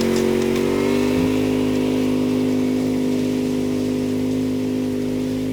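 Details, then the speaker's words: Craftsman DLT 2000 riding mower that wouldn't climb hills, after engine swap, transaxle refilled: steady, smooth engine drone while driving downhill and back up the hill with no knocks, grinding or slipping; normal drive after repair. "Bringing it around, coming back up the hill. This is where it wouldn't budge before. It just stopped right there. Yeah. Forward motion."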